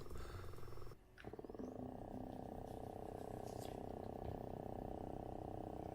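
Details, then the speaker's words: GVM GT-J80D video slider motor, running at about 25% speed backwards, recorded on Canon S10 camera without lavalier mic: steady mid-pitched whir with faint fluttering pulse holding even; motor whine, owner unsure if normal. "so this is a test without using the lavalier mic of what the audio sounds like on the s10 and it's running at about 25% at the moment in speed"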